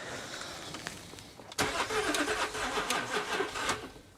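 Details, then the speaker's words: L320 Range Rover Sport non-runner, long unused: starter spins engine at uneven ~three beats a second but never runs; owners suspect more than a fuel issue, maybe oil not circulating after sitting; crank no start. "Right, so we've established it doesn't start there."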